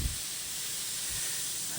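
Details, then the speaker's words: Bicycle inner tube: steady, soft hiss of escaping air that never changes pitch, from a leak at the base of the valve stem, an almost impossible spot to patch; inner tube air leak. "it's leaking from the side there um so we can't see but this side"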